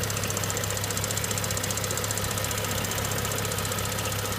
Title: BMW 335i N55 STRANGE SOUND ON COLD START!!! RATTLE?TICKING? PART2